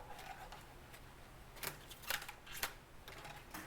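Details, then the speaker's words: Echo string trimmer head being rewound by hand, bottom held while top rotates: sharp ratchet clicks about twice a second as line winds in; normal. "You have to hold on to that, and then you rotate the top part of the head. You can hear it, it's clicking, it's winding"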